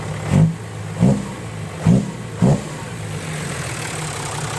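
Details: Diesel truck engine 6HH210 after fuel injection pump tuning for an owner complaint of poor power: four quick throttle blips rising and falling cleanly back to a steady low idle; normal revving.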